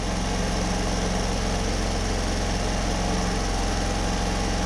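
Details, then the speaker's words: Homelite HG600 small generator after fuel pump clean and new gasket set, started on choke, green light on, full volts, no fuel leaks: smooth, quiet hum at constant speed, no surging, hunting or misses; running healthily. "no fuel leaks at the moment that's quiet too that's really quiet no hunting"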